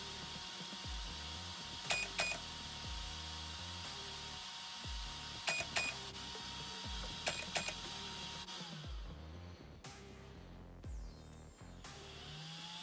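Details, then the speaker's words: Arrma BLX-185 ESC with a flashing green light: set button held at power-on, yellow motor wire disconnected then reconnected; short clusters of sharp high beeps over music as it enters programming mode. "so it's detecting that it is in a mode"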